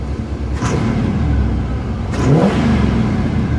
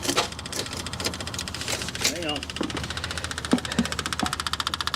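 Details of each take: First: 1979 GMC Caballero four-barrel carburetor under full throttle while driving: a deep rising roar as the secondary barrels open; normal secondary opening. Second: 1979 GMC Caballero cranking after fuel was possibly dumping down the intake, owner fearing hydrolock: several loose knocks, then even cranking at about three turns a second with no catch; smoke follows; spark plugs were later removed to clear it.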